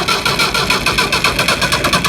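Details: Leyland diesel tractor cranking after a fuel filter change and bleeding air from the fuel system, including the pump-side bleeder: steady chuffs about seven per second with a hard diesel clatter as the engine catches and starts normally.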